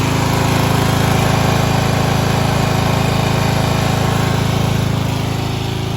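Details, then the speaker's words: 1995 Craftsman LT4000 lawn tractor single-cylinder engine after removal and sump gasket replacement, no battery fitted: steady, even putter with regular firing, no misses, knocks or rattles; idling nicely, could be set slightly lower. "So yeah, all right, let's but I mean, yeah, it's idling nice. I mean, I could lower it a little bit, but that's about good."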